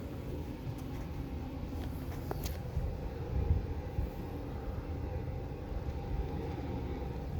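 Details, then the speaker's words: Amana 95 IIQ two-stage variable-speed gas furnace heard from the basement, noticeably louder on high stage: an even, low, steady rumble with no knocks or squeals. Finding: normal high-stage operation. "Let's head on downstairs to the basement again. You can hear how much louder the furnace is now."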